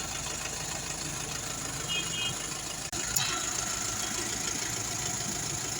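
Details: Mahindra Xylo diesel idling with a loose, uneven clatter over the running note and a brief blip of revs; abnormal engine noise, cause not identified.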